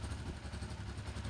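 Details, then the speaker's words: Exciter 135 motorcycle after valve adjustment (intake 10, exhaust 15), revved gently: deep, even beat with no valve tapping, only a faint clutch rattle; earlier harsh noise under throttle gone. "Giờ chỉ còn lại tiếng kêu của bộ ly hợp."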